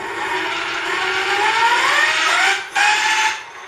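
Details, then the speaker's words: Electric bike geared hub motor on factory planetary gears, before the upgrade, spinning unloaded with the frame lifted: thin steady gear whine rising as it spins up, dipping briefly, winding down; normal stock noise, possibly quieter on the ground. "and that's what it sounded like before with just the factory gears you know it spins and it has some noise when you're on the ground it doesn't quite get up to that speed that quick so you know it may not sound that noisy you know when you're rolling down"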